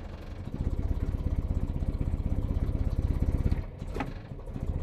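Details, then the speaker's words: Land Rover 109 with a 2.25 litre single-carburettor engine, due for an overhaul, freshly started with a throttle blip: lumpy, uneven pulse stumbling from a dead cylinder; misfire heard in the exhaust tone, ahead of a compression test. "It has a bit of miss fire and even you can hear how the exhaust tone is like."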